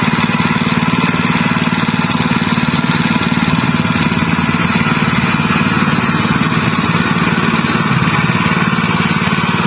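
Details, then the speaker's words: General CX 160 (5.5 HP) single-cylinder petrol stationary engine, previously fouling spark plugs black and dying quickly from excess fuel. After new spark plug fitted: runs steady and even at fast idle, no misses or surging, normal again. "this is the result, Alhamdulillah, it's not too much effort on the big gas, it's normal again, my friends"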